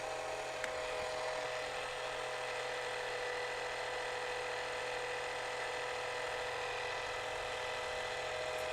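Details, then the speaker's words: Clack twin valve on a Diamond H2O Patriot water softener at startup, Regen button stepping from second backwash to fast rinse; quiet steady small-motor whir with faint high tone, no grinding or clicking, normal valve motor advance. "You can press the button again as soon as you see that number start counting down and you hear the motor stop."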